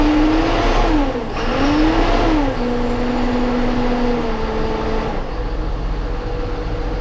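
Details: John Deere 7830 tractor diesel after replacing a seized VGT turbo actuator that caused derating: revs up and settles to a steady even run, no knocks or hunting; judged fixed.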